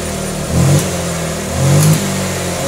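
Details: Honda Vario injection 125/150 scooter that stumbled and would not pull when throttled, after cleaning and adjusting the throttle-body air setting: two clean, quick rev blips that rise and settle smoothly with no stumble or popping; healthy revving.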